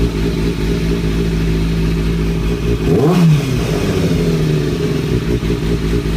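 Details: 2003-2004 Kawasaki ZX-6R 636 at idle with a throttle blip: rattly mechanical clatter that swells with revs; owner suspects timing gear, tensioner already reset per manual without change; cause unknown.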